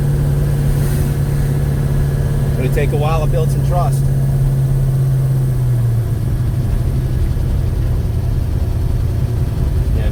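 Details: 1956 Chevy Bel Air 307 V8, first drive after restoration, at temperature (185°) with oil pressure around 40: harsh, loud diesel-like valve train clatter over the exhaust and stumbling, caused by mismatched valve springs and retainers.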